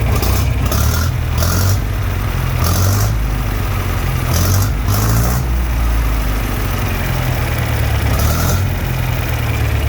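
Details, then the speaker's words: John Deere 3020 LP with new head, warmed up and switched to liquid, idling without choke: low, uneven, lumpy, wandering idle that carburetor adjustments don't fix; sticking LP regulator pin starving the idle mixture. "now it's running better it will idle without the choke now as you can hear not quite right uh it messed with the adjustments on the carburetor does not seem to do a thing for this problem"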